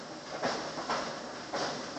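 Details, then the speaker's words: Frigidaire dryer running with a dull repeating thump about twice a second, customer complaint of very noisy dryer; drum loose at the rear because mounting screws came loose, one of three screws missing. "Hear that thumping noise? More than likely it's normal Frigidaire issues. The drum gets loose back here in the back, the screws come loose."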